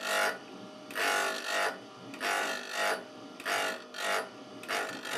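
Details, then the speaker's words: Drill-bit sharpening with a grinding attachment on a slab grinding machine, bit swung across the stone: even rasping bursts about one a second with no chatter, ground until nearly no sparks; normal grinding. "I continue till there's nearly no sparks left then I have a good finish"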